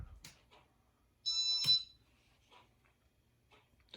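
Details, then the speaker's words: Casablanca Panama 5 Inteli-touch ceiling fan made April 1988, board cleaned, setting speed 2: one clean, high, steady piezo beep about half a second amid handling noise; piezo in good tune, healthy. "The piezo is in good tune and it sounds healthy."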